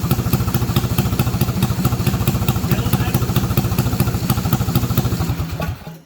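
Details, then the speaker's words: Clone kart engine that sat on the shelf all season: small single thumps at a steady fast beat with a crisp, even exhaust pulse, then dies away. Sounds healthy. "Oh, she sounds good, everyone. Yeah, she's been sitting on the shelf all season."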